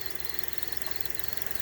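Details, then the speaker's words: Running engine with quick, faint, bird-like chirps repeating over the hum; a squeak in the accessory drive, judged to be a dry drive belt. "so what we have here okay here a little tripping Birds that's a sign of a a belt okay the belt is dry and that's why it squeaks"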